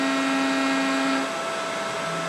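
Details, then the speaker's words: Mikini 1610L CNC mill after replacing BLDC motor with AC inverter-duty motor and Hitachi VFD, near 5400 rpm cutting aluminum: steady, even spindle whine, no chatter or rattles; runs smooth and more solid than before. "it definitely did not chew through the aluminum like this before it just seems much more solid now it could be my imagination too but I don't think so"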